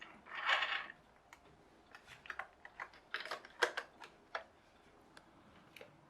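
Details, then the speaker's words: HL Toys RC bulldozer power scraper SW HL 3058 with 3D-printed replacement gearbox gear, slightly undersized; irregular sharp plastic clicks over faint whirr as gear slops out of alignment and jumps teeth. "And I still think that gear is a little bit small, so it might start clicking."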